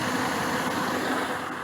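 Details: 2003 Dodge Dakota 4.7 V8 just after an oil change, idling while checked for leaks at pan and filter: steady, even idle with a smooth low hum and no ticking or knocking; healthy.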